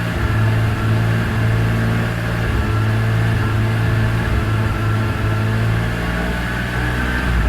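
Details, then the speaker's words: 2002 BMW E46 M3 drift car, almost 200,000 km, EML light and power loss when hot: engine held at steady mid revs with a low drone that keeps dropping out and catching, a misfire-like stutter from a faulty throttle position sensor. "But you can, I don't know if you can hear it on the video, but it's stuttering just a little bit now. It gets much worse than that. Almost like a misfire, but there's a good spot."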